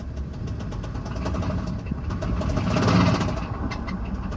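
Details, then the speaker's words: Diesel truck at salvage auction, revved in park: hard, rapid knock over the revs that quickens with RPM; rod knock, engine shut down. "oh yeah that's a rod not we're not going to push that anymore we're going to shut this thing down"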